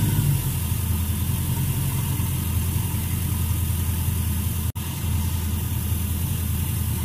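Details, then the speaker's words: Freshly started LS-swapped 1967 Chevrolet Bel Air after installing all new spark plugs and new plug wires; deep, steady V8 rumble at idle with even firing, no skips or ticking, running okay, though a little louder than previously. "all right seems to be running okay might notice it's a little louder than the last time I had it on camera"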